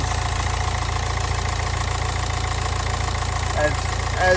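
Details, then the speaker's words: Nissan Juke diesel, very low mileage, engine looks fairly new: revs have dropped nicely, steady even diesel clatter at idle with no misses or knocks, revs fall back after revving; normal idle. "the revs have dropped down really nicely it's sounding like a diesel now you rev it the revs are dropping everything seems to be working as it should"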